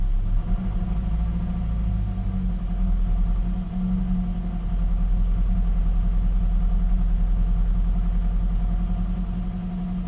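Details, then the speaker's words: Gen 7 Toyota Celica just after replacement of the fuel pump and filter, with the fuel trims still relearning: a steady low idle with an even rumble and no misses or knocks, now idling better and normally. "Now it's idling a little better."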